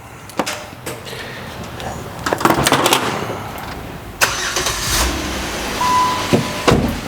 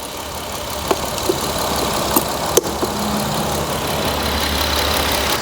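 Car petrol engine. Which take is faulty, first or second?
second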